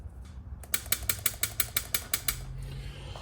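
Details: Trembler coil from a 1914 Ford Model T that was running rough on two or three cylinders, tested in a coil tester box: crisp, evenly spaced snapping buzzes about six per second, each alike; coil firing cleanly, nearly perfectly tuned.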